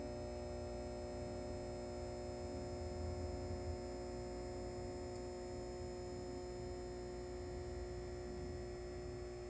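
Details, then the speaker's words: Halco/ProLume 70W high pressure sodium bulb, old with blackened arc tube, cycling at end of life: steady mains hum with a buzzy edge from the ballast, loud at start and growing quieter as the arc dies. "And the ballast, as you heard, was starting to get quiet."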